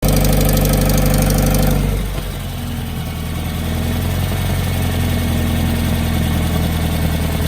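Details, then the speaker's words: 2018 Subaru WRX base, Stage 1+ COBB tune, COBB intake, muffler/resonator delete: as revs drop to idle, a loud metallic clacking at 3–4 per second under the exhaust; it began 1–2 weeks earlier and grew louder; cause unfound. "it sounds like metal clacking inside but I don't know just anything guys"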